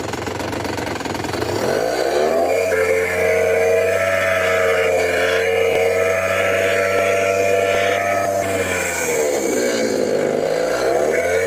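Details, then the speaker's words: Curb-found Ryobi leaf blower after installing a replacement blower assembly: small two-stroke screams at high revs but sags and dips in pitch at full throttle, a lean-like bog; carburetor adjustment suspected, muffler rattles at low speed. "Um, you know, it's bogging down a little bit at at full throttle. Probably need to adjust the carburetor a little bit."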